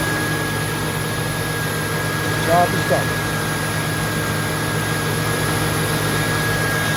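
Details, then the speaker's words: 2002 Mustang GT after radiator fan replacement (Dorman 620-139), idling with AC on: steady cooling-fan whoosh over an even idle, no rhythmic slapping or rattle; earlier cracked-blade noise gone, fan normal. "i mean it's not the quietest engine in the world but um that noise was really scary you see that it didn't sound like campus it was just actually turned out to be a cracked a broken fan blade on my radiator pin but that noise is now gone"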